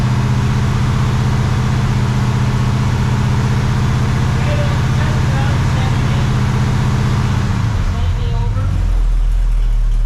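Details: Rebuilt 400ci small-block Chevy V8 (new bearings, rings, machined crank) in a 5-speed S10, first run after rebuild with 65 psi oil pressure: deep, even rumble settling as revs drop, no knocks or ticks; no weird noises.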